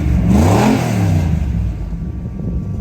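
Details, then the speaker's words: 1978 Chevy 3/4-ton V8 first start after new transmission, torque converter and Summit Racing carburetor, floats and choke set: fires right up, throttle blip climbs smoothly and settles to a steady, even idle; normal free rev. "fire it up oh no way [Music] that fired right up give it a small round"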